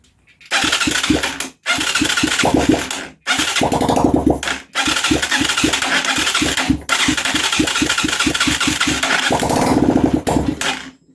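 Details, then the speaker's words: Huaniao HN125 Chinese 125 cc single-cylinder motorcycle, makeshift setup with an exhaust pipe fitted: fires in short ragged bursts with uneven popping, stopping and restarting several times; runs rough and keeps dying. "let's have i said one more cup it's going to sound like crap because it has an exhaust pipe on it but i don't care"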